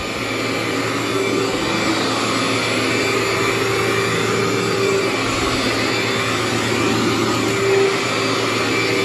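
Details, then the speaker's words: Cleartrak/Workhorse upright vacuum after brush and belt replacement, running on the floor: smooth steady motor roar with even brush hum, no slapping or squeal; runs like new. "and vacuum up there for you feels like a new machine just digs right in there"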